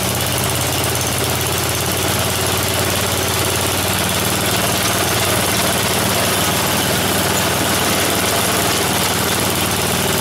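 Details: Snowblower small engine on a final run after its tire repair, before returning it to the owner. Steady, even chatter at constant speed with no stumbles or surging; idling normally.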